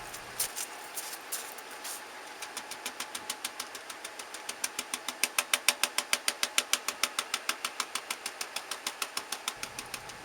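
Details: Ford E250 van 5.8–7.5L V8, before repair: sharp regular exhaust pops at idle, about three a second, heard at the exhaust, with engine vibration; misfiring cylinder fixed by replacing spark plug coil packs.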